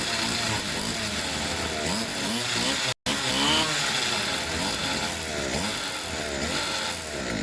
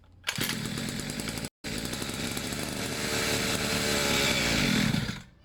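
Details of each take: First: Pit bike / mini moto two-stroke after service with fresh fuel: choke was slipping and moving, so it was stiffened; with choke fully off, high buzzy note revs up and down cleanly, picking up crisply; normal running. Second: Two-stroke pit bike, fresh fuel, airbox refitted, long unused: buzzy engine catches, cuts out, then hunts and surges unevenly; choke was slipping and moving.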